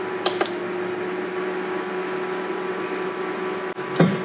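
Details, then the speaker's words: Portable twin induction cooktop running on normal power, already hot at 80 degrees while cooking eggs: loud steady whir with a constant hum and a few handling clicks as the cooling fan kicks in straight away; normal fan operation. "so obviously it's connected now to just normal power as you can hear it's pretty loud the fan kicks in straight away which i guess is good"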